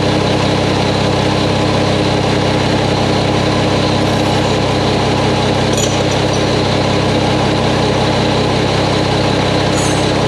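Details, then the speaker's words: Mack truck diesel engine just reassembled, first start before road test; fluids checked, no leaks seen. Deep steady idle with even beat, no knocks, ticks or misses; sounds good, normal idle. "well Bill she sounds good I don't see anything leaking I said we checked fluids one time and I'm gonna take her for a road test see what happens"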